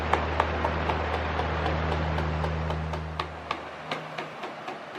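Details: Pedestal fan oscillation not working properly: steady motor hum with uneven sharp clicks about every quarter second; plastic oscillation gears suspected skipping teeth, so oscillation movement fails.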